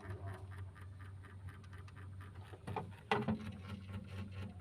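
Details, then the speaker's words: Two-door Sharp fridge, dead for about a year: defrost timer vibrating audibly in standby, faint quick even ticking over a low hum; it stops when defrost terminals 1 and 2 are shorted; normal defrost timer ticking. "ada bunyinya Nah itu bunyi timer ini mesin dalam kondisi standby"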